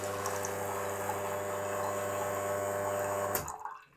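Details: Wega commercial espresso machine, dosing button reprogrammed back to three seconds. Steady low pump hum with water flow for about three seconds, then a clean cut-off; the timed dose runs and stops normally.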